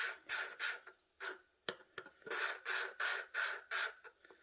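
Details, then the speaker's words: Hand valve lapping on a 20HP Briggs Vanguard engine head with a suction-cup tool, pushing down: steady back-and-forth gritty rasping strokes, about three a second, growing less gravelly as valve and seat lap in smooth. "Also depends on how clean you can get that valve too for it to work right. You can hear it doing its job."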